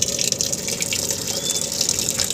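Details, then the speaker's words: Sharp single-tub automatic washing machine that kept filling after the program ended, now repaired by fixing a control-module component (triac). Strong, steady hiss and splash of water entering at the inlet with no surging; fill is now controlled normally. "oke ini berhasil teman-teman air sudah bisa dikontrol ya air input inlight-nya sudah bisa"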